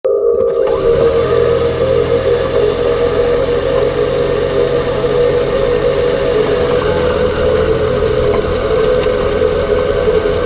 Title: Kuga phev 2021 whining noise after new clutch damper/flywheel changed